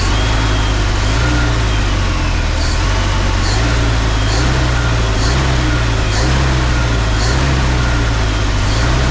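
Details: 1968 Oldsmobile Delmont V8, idling with a deep steady rumble and slow gentle surge about once a second as fuel starts coming through the filter from the tank; normal idle.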